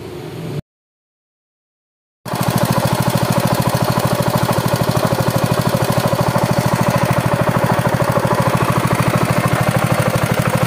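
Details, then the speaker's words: Honda GX200 engine on a rice thresher, after the cylinder head gasket was replaced to cure hard starting and lost compression. Quick, even firing at steady speed with no misses; running smoothly and normal again. "Vâng, đủ tốt rồi và chơi tiếp, nó phát ra âm thanh ngay lập tức. Nó cũng trơn tru và bình thường trở lại"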